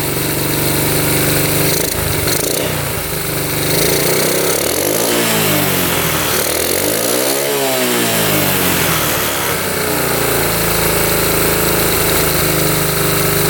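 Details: 1972 Honda CT70 single, bought at auction with a bogging problem, revs and falls back to a steady even idle with no misses or rattles, after timing set with a timing light, F mark centred: normal idle and revving.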